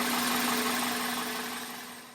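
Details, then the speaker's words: 1999 Toyota Corolla after power steering pump replacement: even, smooth idle hum with steady tone, no more grinding. "Oh, look at that. smooth. Way better than before. No more grinding sounds. Sounds better than before."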